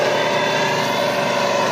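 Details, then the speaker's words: Sun Joe electric wood chipper running empty: motor hums with a wavering, strained, bogging tone instead of one constant speed; dragging worn motor bearing, replaced with 608 ceramic bearing; worn motor bearing. "It sounds like it's struggling even if it's even if it's not doing anything, right? And you would expect that the motor ought to be running at one constant speed. And this one seems to be struggling just a little bit."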